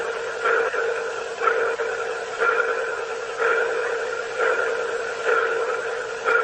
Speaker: it was kind of like a pulsing noise almost like a sonar ping